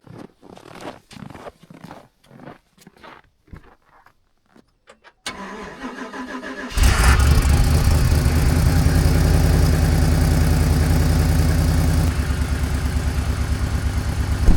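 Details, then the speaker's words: GMC Yukon XL V8 with 6L80E transmission, first start after torque converter swap and refill; starter whirs, then idle with fast, even puffing tick from a driver-side exhaust manifold gasket at the Y-pipe not sealed: exhaust manifold leak. "Well, looks like they didn't get the one exhaust gasket quite sealed up on the driver side of the manifold there where it goes in the manifold the Y pipe."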